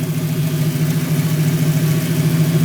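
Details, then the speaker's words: Ford Mustang GT 5.0 V8 with intermittent stall at idle; loose distributor found, likely the earlier timing problem; steady even low idle with no misses, surges or stumbles; stall not recurring, running good and on the road. "Uh, but I'll let this serve as an update. She is running good and uh she's now tagged and on the road."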